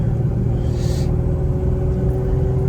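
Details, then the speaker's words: 3rd-gen Toyota 4Runner road test after replacing a worn U-joint that caused a vibration around 50–60 mph only under acceleration; steady low road rumble builds while accelerating, no rhythmic shudder or thump, driveline much better; exhaust rattles on heat shield. "You know, usually get up to like 50 or so. It was pretty bad. A lot better."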